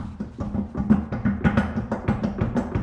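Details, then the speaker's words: Infiniti (Q50/Q60/G37/370Z fitment) winter wheel hung on the hub unbolted without its hub-centric ring and yanked up and down: rapid hollow clunks, about three a second, as the wheel rocks. Play in the hub bore, which the owner warns would cause vibration. "guys can hear that sound, like that's gonna cause a lot of vibrations."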